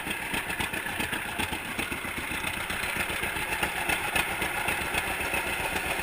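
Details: 1942 John Deere Unstyled A, first start of a previously stuck engine after conversion and new spark plug wires; slow, even two-cylinder popping around four beats a second, steady rhythm, no knocks. Normal idle.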